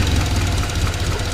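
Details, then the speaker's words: Turbo Honda CR-V after a boost controller hose blew off, causing overboost and running lean; breather smoke, owner suspects ring land or valve damage: short lumpy, uneven idle with dropped pulses, misfire at idle. "yeah, you can hear it. It's not doing good."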